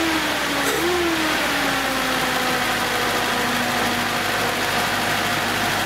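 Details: 1970s Datsun with freshly reworked ignition, started on its rejuvenated 6.5-year-old 12 V battery: engine settles from a brief rev into a smooth, steady idle with a gently falling note and no misses; sounds healthy.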